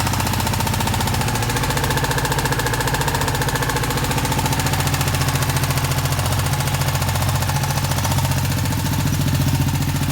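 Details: Ducati 959 Panigale engine before repair idles with a steady, fairly regular knock tapping through its low rumble.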